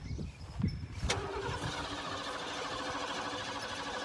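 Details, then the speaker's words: Ford F-150 sitting ten years, on jumper cables with starting spray: a few uneven cranking chuffs, then it catches with a rough, faint running note; engine fires briefly but will not keep running. "it did sound good so it's um the best it has we've had some fire out of it I think we're pretty close"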